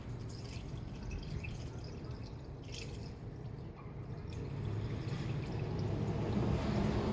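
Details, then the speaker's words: 2008 Honda Element EX coolant drain and fill: soft gurgles and drips as blue coolant is filled slowly; trapped air bubbles coming out, normal during fill. "Yeah, you can hear it starting to make its way through. You hear all the air bubbles coming out."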